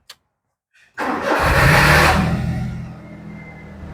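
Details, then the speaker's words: Perodua Viva 850 that died suddenly, started with relay bypassed by a jumper wire: short crank, catches at once, flares up, drops back to smooth steady idle; fault is the relay. "Kita start begitu. Jadi engine tengah hidup lah."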